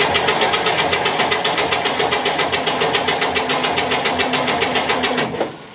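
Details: 1958 GMC Apache pickup after sitting outside 3+ years, spark plugs out for a compression test: even cranking at nearly four beats a second, each stroke matching; normal cranking.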